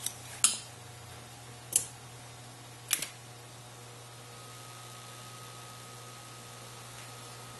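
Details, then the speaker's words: 1971 NuTone Model 2541 AM/FM radio intercom master station after rebuilding power supply and amplifier board, master volume full, system about 25%: only a few clicks and faint quiet background, no loud buzz; hum gone, normal. "you'll notice that the hum is gone i have the master speaker volume at full and the system volume at about 25 percent"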